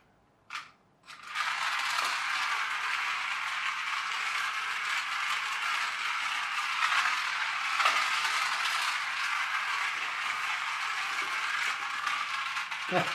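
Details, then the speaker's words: Magic Track toy car after a superglue repair: a bright, steady buzzing whirr with a light ratchety rattle at an even pace; the drive runs properly. "now it works bit of superglue back in business and escapes"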